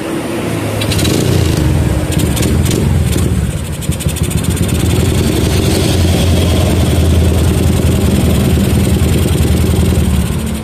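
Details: Yamaha Jupiter MX with a PE28 carburetor, previously hard to start, tested after re-jetting the carburetor. It starts promptly, picks up cleanly through several blips and settles into a steady idle, sounding healthy.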